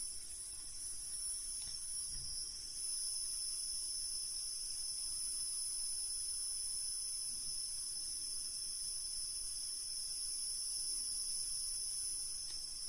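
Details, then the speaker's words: Deye SUN-6K-SG03LP1-EU 6 kW inverter, a replacement unit louder than the first, running. Two steady piercing high tones from the heatsink area, heard throughout the apartment and quieter on the phone mic than in person. High-pitched inverter squeal. "мікрофон телефону сприймає його значно гірше ніж людський слух І люди чують це у всіх кімнатах квартири"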